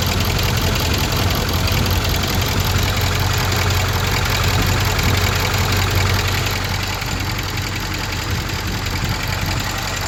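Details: Ford 6.4 Powerstroke diesel idling warm, gauge showing about 73 for oil and coolant; it stalled at about 80 degrees. A steady low chug with a light, uneven metallic rattle over it, source unclear; rattle at warm idle.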